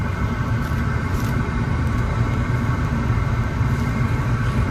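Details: Bradford White 40-gallon power-vent gas water heater after replacing the control unit, pilot lit: steady low hum with an even rushing whoosh and no rattles or surging; vent blower running smoothly, normal operation.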